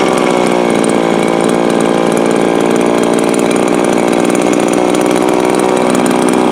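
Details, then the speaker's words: Viper ice auger two-stroke run hard outdoors at wide open throttle: screaming, wavering, hunting pitch that never settles; surging, owner suspects lean, running out of fuel, runs harder on choke; not confirmed. "That sounds more like it was doing outside. So that sounds to me like it is lean and leaning itself out. But it also sounds a little rich, but if you run the choke, you can run it harder. So it's just running out of gas."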